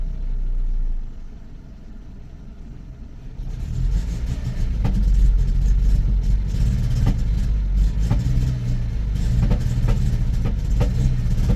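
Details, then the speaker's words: Renault petrol engine ticks over fine, then stumbles with uneven pops and hesitation when revved, like a misfire; blamed on lack of fuel from a weak fuel pump or fuel pressure regulator. "well that is down to lack of fuel so it's a fuel pressure regulator well your fuel pump is a little bit weak you're not pumping enough fuel so it tick over quite nicely soon as you hit the throttle it'll start doing what that's just done there"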